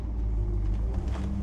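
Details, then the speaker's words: 1964 Ford Galaxie 500 XL V8 idling on the lift after its open exhaust was quietened and its carburetor rebuilt, now running on its own; deep, even, low steady idle with no misses or ticks, exhaust quiet, healthy. "we got it running on its own let me tell you it was worth building this carburetor"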